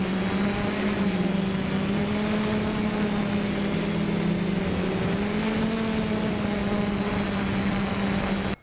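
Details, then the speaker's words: Traxxas Monster Energy drone with a Q6 camera strapped underneath: short high beeps repeat about every 0.6 s over a steady propeller hum, the warning on reaching the geofence limit (believed to be 150 m out). "tight to the body as you'll hear the beeping here I believe once we got so far far out I believe it's 150 meters geofencing"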